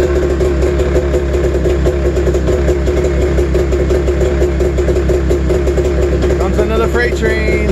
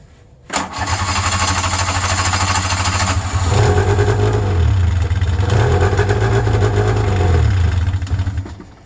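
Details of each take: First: Snowmobile two-stroke cold-started at 28°F early morning; uneven, lumpy idle with lopsided stumbling beat, sounds like running on one cylinder, starting to lighten up; owner suspects bad gas. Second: Electric-start EXT snowmobile restarted on a cold 28°F morning. Catches at once, then settles into a fast, buzzy, slightly wavering high idle like the 700, smoking; normal cold two-stroke high idle.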